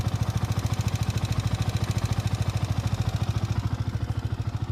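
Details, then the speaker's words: Yamaha R15 V4 at 25,877 km: idling engine with fast even metallic clatter on each beat, which the showroom says is the rocker arm, plain or variable-valve rocker to be checked. "इतक्या लवकर हा आवाज येतोय तर हा आवाज आहे रॉकरचा अस शोरूमवाले म्हणतात"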